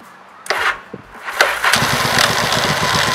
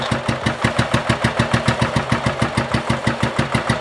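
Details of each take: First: 1985 Yamaha Virago XV700 after fitting a voltage stabilizer to the ignition feed, weak battery: brief touch of the starter and the V-twin fires almost at once, settling into a steady, even idle; normal quick start. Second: 1985 Yamaha Virago XV700, cold start before fitting a voltage stabilizer: slow, labored cranking about three strokes a second, uneven firing catching late; starter draws heavy current leaving the spark unit too little voltage, hard starting.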